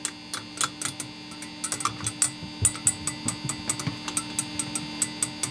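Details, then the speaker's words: Orange Rockerverb 50 guitar amp on clean channel, volume and gain raised: light taps draw a thin metallic ting from one valve, which is going microphonic; tubes to be swapped and bias rechecked. "only I think that tube is starting to be a little microphonic and starting to get a little ugly sounding"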